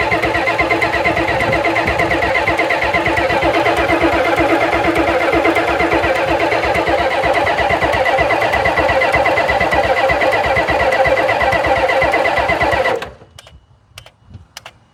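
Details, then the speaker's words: 1991 Ford F350 dually, 7.3 IDI diesel, unrun since 2010, after draining water: steady cranking about three compressions a second for thirteen seconds, never fires. Fuel in the rails; unexplained injector pump clicking; unconfirmed. "Got fuel in the fuel rails. I don't know why that's clicky clacking on like that though."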